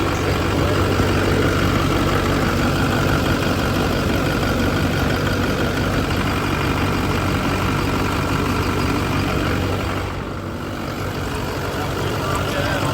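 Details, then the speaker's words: LB7 Duramax diesel with S300 turbo idling just after fitting new SNS 100% over injectors, replacing failed, rattling ones: steady, even idle with a smooth low rumble and no rattle or miss; sounds much better, normal. "yeah it sounds so much better now while this is running for a minute I'm going to change out these wheels with the 22s again and then we'll go for a little Drive"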